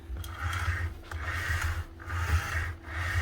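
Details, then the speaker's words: Refina-type plaster mixing drill (possibly Alfra or Eibenstock), plaster possibly stuck inside, spindle turned by hand: dry, gritty rasp a little over once a second from the output bearing, nearly failed. "But also there's going to be a wee preemptive repair. That bearing is just about failing there."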